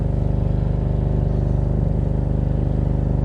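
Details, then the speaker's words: Salvage-auction 2022 Alfa Romeo Stelvio, engine running in gear: deep, steady throbbing pulse about three and a half beats per second as the car vibrates heavily, from a failed engine mount. "Yeah, especially right now it's like crazy vibrating. I don't know if you guys could hear that or not,"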